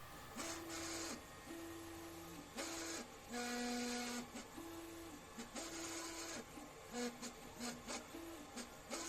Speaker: Okay, it's a resonance issue.